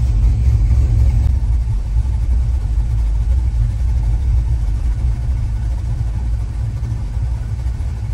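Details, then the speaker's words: Gen 3 drive-by-cable 5.3 LS swap with big cam on Holley Terminator X Max, IAC adjusted: deep lumpy choppy V8 idle holding steady without stalling, IAC slowly falling to about 10–11% (target 5–10%). Normal idle. "So after letting it idle for just a second, it's slowly falling down. It's about 10 or 11% right now. Again, you want it between 5 and 10%."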